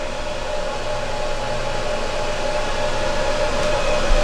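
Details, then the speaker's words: EcoFlow Delta power station, skillet drawing about 1,500 W, battery about 89–84%: steady fan whoosh with faint hum growing slightly louder over a few seconds; normal cooling fan under heavy load. "It kicked back on. You can hear the fan going when it's drawing a lot of energy."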